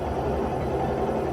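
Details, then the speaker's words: Automatic (matic) scooter at idle, engine speed reading about 1200–1300 rpm, fluctuating slightly: steady, even low putter with no misses or knocks; normal idle. "Ya ini kondisinya Idul ataupun langsung kita udah pernah bahas di bagian dari RCM nah disini terbaca yaitu sekitar 1300 ya"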